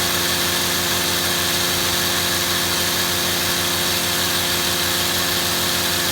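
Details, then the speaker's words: Shindaiwa HT2510-40 hedge trimmer, C4 four-stroke hybrid engine, after clutch, cam, timing and valve clearance repairs: steady high-pitched buzz peaking around 8,800 rpm, no misses, surging or rattles; successful test run, normal running at high speed. "Okay, successful test run. Um, now I'm satisfied. Uh, the tachometer had this thing peeking out around 8,800 RPM, which is pretty good for a four- stroke hybrid."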